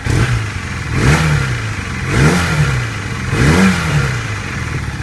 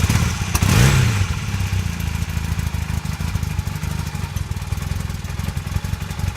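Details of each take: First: 1982 Honda CB450 twin after carburetor balancing and a test ride: three clean revs returning to steady idle, running well, though a slight popping on the right side suggests a possible air leak, maybe at the exhaust. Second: 1982 Honda CB450 twin during restoration, after new petcock and airbox parts, while setting idle: low idle thump with uneven firing clatter, still a little rough but better than before.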